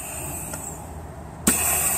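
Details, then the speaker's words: ZF 6HP26 clutch-pack air test with the valve body out; the oil is dark and some oil may first purge from a hydraulic lock. Quiet, then a sharp burst of air, a soft thump as the pack applies, then a steady hiss. It holds with no leak-down. "you can hear that one applying nicely and you can also see a couple of clutch packs there how they're working"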